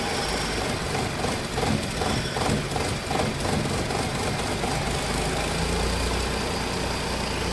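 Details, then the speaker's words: 2015 Ford Ka 1.0 three-cylinder, towed in cranking but not running, started only by reconnecting injectors while cranking: uneven, lumpy idle with irregular stumbles under light throttle, rich-mixture smoke and smell. "Dá uma aceleradinha de leve. Tá vendo a fumaça de mistura rica de combustível? Então a mistura tá muito rica, tá muito fedorento."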